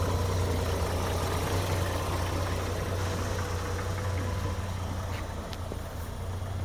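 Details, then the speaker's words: 1951 Chevrolet Styleline Deluxe, 216 ci six, 6-volt system, Powerglide, about 57,000 original miles, restored in 2001: very quiet, smooth, steady low idle hum with no ticking or knocking; normal idle. "There you go. Man, you can barely hear it, huh? That is cool."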